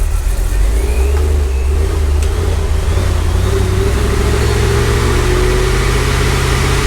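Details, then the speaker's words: Supercharged C5 Corvette V8 on the dyno after fitting new plugs with a new gap, replacing one that was arcing; it pulls hard and evenly at full throttle, its deep roar rising steadily with no sputter or misfire. "now oh much better i didn't hear the sputtering how'd that one look sound better more business no more no more yeah it sounded smooth"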